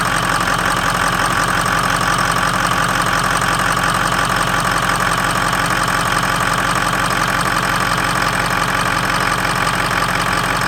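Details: 2003 Ford F-250 6.0L Powerstroke diesel at startup: steady idle clatter about three beats a second with an uneven, shaky note underneath; rough idle or misfire, cause not pinned down.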